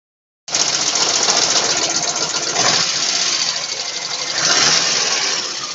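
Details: VAZ 2109 running engine: light, rapid ticking, roughly three to four a second, over the engine; valve tapping.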